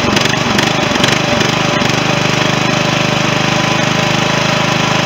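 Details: 16.5 hp Briggs & Stratton intended to replace a 15 hp Kohler in a John Deere mower, wiring unfinished; after a few rough cranks it catches and settles into a steady, even beat; runs great, normal running.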